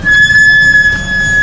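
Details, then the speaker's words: Car brakes squealing when the pedal is pressed, most noticeable with the window open: a steady high-pitched squeal holding one note over a second. Checks given: pads under 3 mm, uneven pads with hard spots, rusted or scored discs; brake squeal. "还是讲点修车知识吧，就讲一个最简单的刹车异响，就是我们踩刹车会吱吱响的声音，特别是当你打开窗户的时候尤为明"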